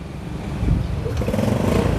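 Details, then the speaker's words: Used Yamaha Sirius motorbike, fuel poured straight into the carburetor float bowl, battery weak; an uneven popping, sputtering putter that then smooths out to a quiet, even idle. "đổ liền bình xăng con nha các bạn nó lụp bụp thì mình sẽ FA ha máy êm ru"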